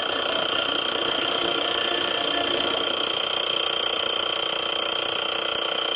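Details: Montgomery Ward CED player after replacing belts and a new pulley: steady rough lawnmower-like buzzing drone with fast regular flutter from the turntable area; new pulley sat too low, fixed by adjusting the pulley.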